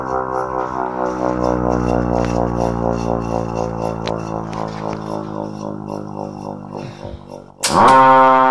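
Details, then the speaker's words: Federal Q2B mechanical siren switched through a Ford starter solenoid, not fully ramped up: rising wail that slowly winds down, with a faint rubbing undertone while coasting; owner recently noticed something rubbing somewhere, uninvestigated, but it still coasts down nicely. "it's just recently you can hear something's kind of something is rubbing somewhere so I may investigate into that it still coasts down pretty nicely so I'm not super worried"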